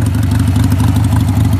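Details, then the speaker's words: 1999 Harley-Davidson Sportster 1200 V-twin with loud pipes, cold start on full choke: fast, steady, even thumping idle held higher than usual to warm up before choke is pushed back in. "Doesn't usually idle this high. It's just to get it warm, but push it back in."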